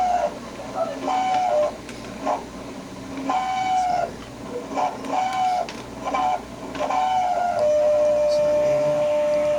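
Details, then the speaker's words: Refrigerator fan gives repeated high squeals and chirps settling into a steady whine, noisy all day for days; the blade shaft is stiff (dry bearing), so it is unplugged and oiled with 3-in-1 oil. "el ventilador el que está haciendo ese ruido ok Ya lo desconectamos lo desconectamos la corriente para [Música] echarle pues vamos a echarle ahí aceite tres en uno aceite para que a ver si se le quita así el ruido está medio duro cameo duro el eje donde están las aspas"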